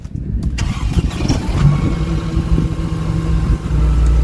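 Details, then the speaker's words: Auction car, cold engine with check engine light on, possibly unstarted for a while: starter cranks briefly, engine catches and settles into a steady low idle without timing chain rattle; normal cold start. "too bad it didn't really rattle it didn't sound as nice as the last one but it didn't have the rattly timing chain KN so that was a good sign"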